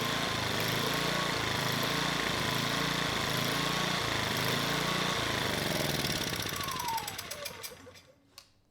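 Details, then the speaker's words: Sportsman GEN2200DFI dual-fuel inverter generator (Yamaha MZ80 clone), after valve lapping and a new ignition coil, with the Eco switch on: engine speed hunts up and down, then dies. A clogged carburetor pilot circuit is suspected. "when we started this up I had the Eco switch on and it wasn't able to run smoothly the engine it was surging uh with the Eco switch off it ran quite a bit better"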